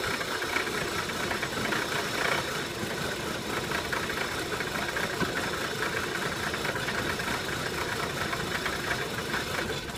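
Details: 2003 VW Passat 1.8T idling unevenly with irregular stumbles and a faint shake instead of a smooth steady beat; rough idle, cause unknown.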